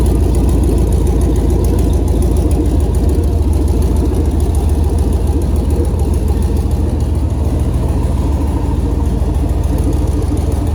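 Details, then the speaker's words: 2008 Silverado prerunner V8 on a newly installed Holley Terminator X Max ECU with Aeromotive 340 fuel pumps, restarted after an initial rough start: a deep, steady burble at idle with even pulses and no misfire, knock or stumble; the ECU is working. "so dang that's gonna do it for this week i'm super stoked to hear that motor run and now i know the computer systems all working good"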